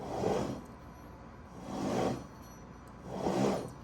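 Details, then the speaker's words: 2006–2009 Honda S2000 rear differential with LSD, rebuilt elsewhere with aftermarket parts and removed from the car, input flange spun by hand: coarse rising-and-fading roar instead of a smooth turn, with virtually no pinion preload. "but that thing definitely is roaring and when you get on the road with that thing it's going to sound like not good anyway that is the primary complaint by the client um the other shop just didn't do the job right there's virtually no preload on that uh input flange"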